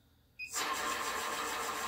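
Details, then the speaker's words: PowerPro upgrade belt drive after correcting belt alignment and tension, run at low speed: a soft, even hum with no slap, squeal or rattle; the drive is now running quietly. "it's nice and quiet I haven't had it that quiet in a long time so I believe I'm happier there no more noise"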